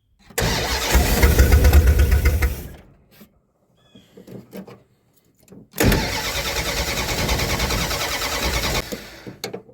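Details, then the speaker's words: Mopar with intermittent ECU no-spark condition, fuel poured into the carburetor: cranks and catches, runs roughly about two seconds then dies, restarts briefly again; starts then stalls, owner suspects not getting fuel from the tank. "all right so it started it's not running the base but I wonder if I'm not getting fuel let me put the camera down so I can use both hands it almost seems like it just burn up what was in the carburetor what I poured in the carburetor and then it died"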